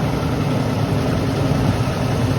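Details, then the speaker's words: 2006 Lexus LX470 V8 at 315k, first start after HeliCoil repair that fixed a ticking, choo-choo-train-like noise: even, steady low idle with smooth deep hum, no ticking or uneven chuffing; runs clean. "And there's the fucking low idle. It's got a little hum to it, and my fan looks a little bit."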